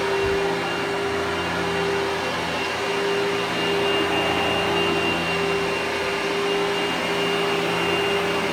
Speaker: so this is a much more pleasant sounding motor so this is a better vacuum even though it might not be as powerful it's just in last and it has lasted quite a long time